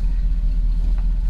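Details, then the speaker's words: 1952 truck, long parked, back running after a fuel filter replacement (suspected fuel pump at first); deep, steady low rumble at idle with no misses or knocks, a normal, healthy idle. "It's idling, it's running."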